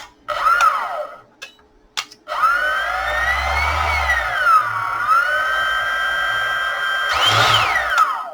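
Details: EGO 56V blower with retrofitted BLDC speed controller, 20 A fuse, bench-checked on a 30 V supply before reassembly: clean whine spins up, rises and settles in short even bursts, no rattle or stutter; runs smoothly.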